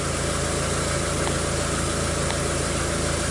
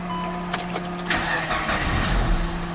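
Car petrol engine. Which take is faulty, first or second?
second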